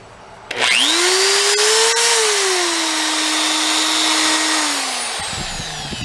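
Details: DeWalt drill bought on eBay, sounding like something coming apart inside: motor winds up to a wavering high whine over a rough, gritty rasp, then sags; burnt armature, replaced from a donor drill.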